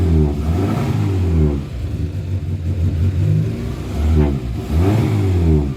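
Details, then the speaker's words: Morris four-door after winter lay-up, previously running on two cylinders and not revving, now with plugs cleaned and timing checked: revs up cleanly and drops back smoothly a few times, even exhaust tone, no misses or knocks; on choke. "well with the plugs clean she's fired up near the tone of the exhaust give it a"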